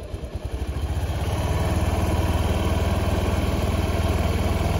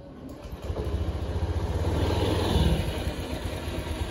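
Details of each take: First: Honda Beat injection scooter with a bored-up engine, after a CVT service in which the rollers and clutch linings were cleaned because it had sounded rough. A steady, even idle thump with no rattle; the CVT now sounds smooth and normal. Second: Honda Beat fuel-injected scooter bored up to 130cc with stock exhaust, started and revved: uneven, gravelly rumble swelling with engine speed; CVT sounds rough and is to be opened and cleaned, cause suspected, not confirmed.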